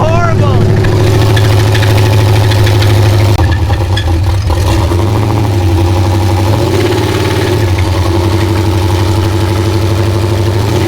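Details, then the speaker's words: LS V8 off-road El Camino after racing on a short track: loud V8 with a deep, uneven knocking under the exhaust note that worsened toward the end and gets heavier as revs rise; bottom-end knock, cause unconfirmed. "That was awesome. You could hear it knocking worse and worse."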